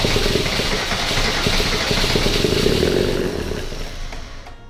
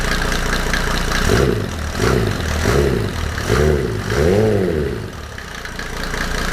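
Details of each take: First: Mercedes W124 OM606 diesel turbo project first start on new larger battery, throttle held partly pushed down. Loud, harsh roar held high for seconds then dropping; high idle from throttle held open. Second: Mercedes W124 OM606 diesel turbo project first start on new battery, no intake manifold, after high-idle scare from held throttle; owner worried timing off. Quick revs then steady, even idle, no knocking or nailing; normal diesel idle.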